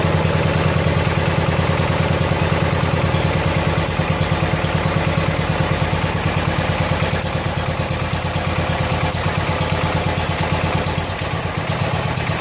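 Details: 1970 John Deere 140 H3 garden tractor single-cylinder after head gasket replacement (old one leaked severely): steady even thump holding idle speed without stumbling or ticking, quiet, burning off some oil; normal idle.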